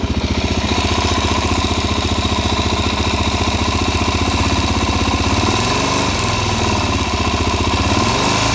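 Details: Suzuki DR-Z400SM warm after riding about 50 km with gas in the oil. Steady idle thump with a fast light tick, three or four a second, on every beat; source undetermined.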